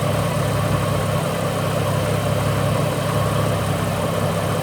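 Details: Ford BA Falcon inline-six after replacing failed ignition coils: smooth, even idle with a steady low hum and no stumbles or misses; the air conditioner is on, adding brief load. Running cleanly after repair.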